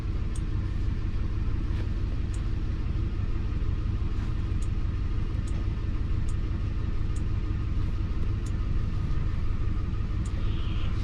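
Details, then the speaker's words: 2005 Lincoln MKT at idle with a cylinder 5 misfire; the scan tool power balance shows cylinder 5 not contributing. A steady low rumble with an uneven loping beat about three per second, from a chafed coil power wire. "you can see number five [Music] number five is a cylinder that is not contributing at all"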